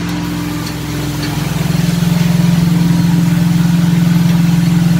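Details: 1967 Mustang with ATK crate 302 V8 (replacing straight six), second cam break-in session, no load at 2000-2500 RPM: even rapid pulse at raised steady speed, no ticks or knocks.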